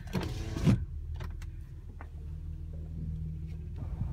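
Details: 2007 Honda Accord V6 on a cold morning idling with steady low groaning whine from the power steering pump drawing air through a defective return-line O-ring seal (Honda TSB 07-086), before the O-ring fix.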